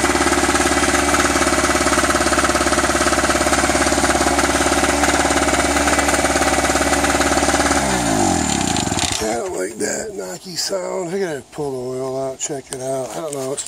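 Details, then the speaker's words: Eagle River ERG1200 generator after first start: fast, even pounding at about 210 beats a minute while running, then winds down; owner thinks it doesn't sound lubricated enough, possible knock. "not it's not sounding lubricated to me enough so i don't like that sound"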